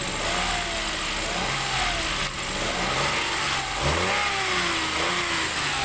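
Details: Toyota Wigo after replacing spark plugs to cure a rough, misfiring idle: engine blips up and settles back cleanly a few times, with a smooth, even pull and no stumble or miss.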